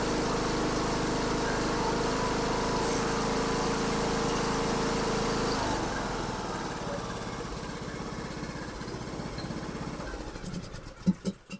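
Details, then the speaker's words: John Deere LA125 riding mower, after replacing the cracked, flooding carburetor, still on the old plug: runs smooth and steady, then winds down and stops, no hunting; the old plug is suspected to be fouled. "well that runs so much better I'm still going to put a plug in there cuz I think the other one might be getting foued out all how rich it was"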